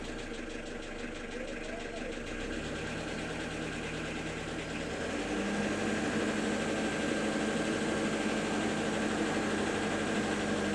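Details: Engine running with an unexplained knock, fairly regular near three per second, firming slightly as throttle is added; it sounds like a rod knock, but the connecting rods were inspected and ruled out; source unknown.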